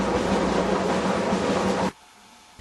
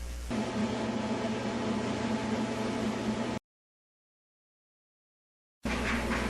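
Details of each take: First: Whirlpool dryer running: loud, coarse train-like rumble, then sudden cut-off; noise grows louder with use; cause is worn drum support rollers, checked by a gap between drum rear and back wall. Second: Whirlpool dryer after an object was removed from the blower housing and the blower cover reinstalled: a steady whooshing hum with no knocking or rattling, which is normal operation.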